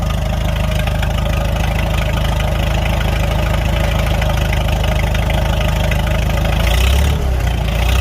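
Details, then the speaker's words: Farmall 300 Row Crop tractor after replacing the rust-holed exhaust manifold, muffler refitted: even, steady low idle thump with a quick throttle blip near the end; runs smooth and healthy, sound better suited than before. "Sounds pretty good. Yeah, I think I like that sound much better. I think it fits this tractor better."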